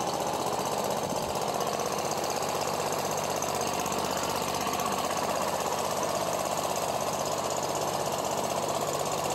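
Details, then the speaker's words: Commercial zero-turn mower engine flooded with water through a broken intake manifold, cleaned out, with new spark plugs and the air filter off, warming up: fast, choppy running at about four beats a second while burning water out of the muffler. Rough running. "all right so what that is that's water that was in the muffler and we're burning it out of there right now so I'm going to let it warm up"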